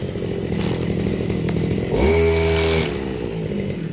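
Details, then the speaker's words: Stihl FS230 brushcutter in a stall test on hard ground/gravel: high-rev howl, pitch dipping briefly as the head digs in, then holding steady without bogging or stalling; healthy engine under heavy load. "Okay, so that is a no stall. You cannot get this thing to stall. Otherwise, you must be extremely strong."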